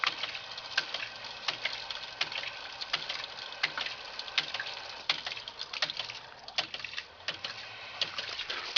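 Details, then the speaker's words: Ram pump fed by about 4 ft of fall from a source bucket, delivering to roughly 15 ft up: sharp bright waste-valve clicks about eighty a minute, slightly uneven, over quiet water noise; normal waste valve clicking. "Now we'll crack this valve here, and you'll hear the second valve start clicking."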